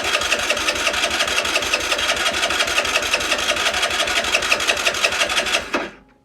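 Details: Longjia 50cc scooter after carb cleaning and electrics sorted, powered by 12 V portable jump starter (no battery): starter spins engine in even pulses near three a second for about six seconds without catching; spark and fuel at plug confirmed afterwards; no start.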